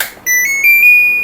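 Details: LG mini-split AC with CH05 communication error: short rising electronic chirp as power is applied to the indoor unit wired to the outdoor unit, control board powering up normally before communication signals are checked.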